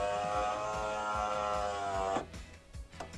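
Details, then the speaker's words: Driver-side window motor on a Subaru Forester, second-hand OEM unit replacing a poorly working aftermarket one, installed and run with ignition on: steady even hum about two seconds, no grinding or labouring, stops cleanly; sounds much healthier and more powerful, works normally. "Oh wow, that sounds a lot more healthier. Yeah, so that works."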